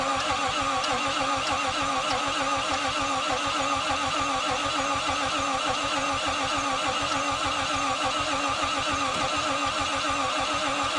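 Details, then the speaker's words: 1951 Korean War M38 army jeep with points ignition, sitting for years, fed from a boat fuel cell: starter turns engine over evenly but it never fires; power, fuel and oil OK, coil tested good, no spark, points suspected. "all right guys so we got power it's turning over we got fuel uh oil is good problem is there's no spark"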